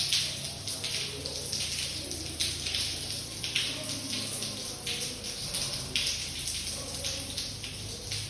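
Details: Water flooding down from floor 17 at 5:07 am into a small room: steady splashing with irregular heavier drips and patter. Owner suspects burst pipes in flat 175, blamed by a plumber for an earlier leak above the shower. Cause unconfirmed.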